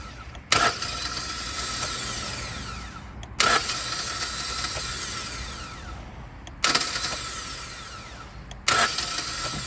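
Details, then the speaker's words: 2011 Hyundai Sonata with a failing starter: four tries, each a sharp solenoid clack then a high whir spinning down with no cranking; the plunger isn't pushing the pinion out to the ring gear, so the starter freewheels and needs replacing. "this starter is just freewheeling the plunger is just not pushing the starter out"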